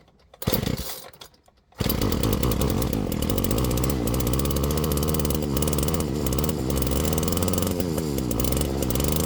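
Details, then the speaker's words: Flymo Maxi Trim 430 two-stroke strimmer after carburettor cleaning and replacing a split fuel metering diaphragm: uneven, blubbery four-stroking at fast idle, smelling and sounding rich before the mixture was leaned out. "But it smells and sounds like it's running a bit rich. So, I'm just going to start leaning out the fuel mixture."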